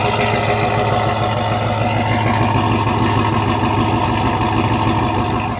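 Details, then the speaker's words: 2007 Chevy Tahoe V8: deep lopey idle with uneven chop, steady and strong with no knocks; healthy blown V8. "Looked good, sound good. And it's just got that chop. Listen to that chop."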